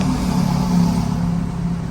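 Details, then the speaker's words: Isuzu MU-7 diesel with over 500,000 km, brought in for no-start, idling with deep uneven drone and loose valve-tapping clatter; rough-running engine, timing chain replacement and valve adjustment recommended. "คันนี้เสียงวาล์วเขกดังก๊อกแก๊กๆเลยนะครับเสียงเครื่องยนต์ไม่ค่อยเพาะนะควรเปลี่ยนโซ่ลิ้นแล้วก็ตั้งวาล์ใหม่นะ"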